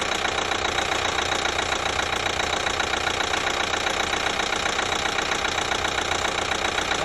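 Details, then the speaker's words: 2012 Chevy Equinox 2.4L with a new timing chain, warm idle, quiet when cold: steady even tick two or three a second; sounds like the high-pressure fuel pump, but the pump is brand new; source unclear. "almost sounds like the high pressure fuel pump is making the noise but it's not it's actually a brand new pump"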